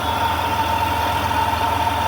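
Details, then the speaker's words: Vehicle just fitted with a new radiator and thermostat, battery reconnected, heater on high: steady idle with a thin constant tone near 1 kHz, owner thinks exhaust or possibly the heater; weird running noise, cause unconfirmed. "weird ass noise. Y'all hear that? Sound like my exhaust here."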